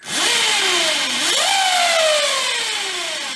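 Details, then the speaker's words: Zero DSR electric motorcycle after a gear ratio change, running a dirt bike chain without O-rings: a loud whine rising and falling with wheel speed over a rough hiss. The chain drive is noisier than normal; the owner plans to fit a real motorcycle chain. "it makes a lot of noise in the future I will change this for a real motorcycle chain and not for a dirt bike chain because this this needs more maintenance and it makes more noise"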